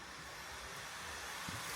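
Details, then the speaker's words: Acer Nitro 5 AN515-58 gaming laptop, fans set to maximum with no load: steady airy rush with an even hiss and no rattle or grinding; quite noisy while the temperature drops; the cooling fans run normally at full speed. "You can hear it, so it's quite noisy actually when you're playing, and you see GPU, CPU, fan going on the maximum, and the temperature going down, of course."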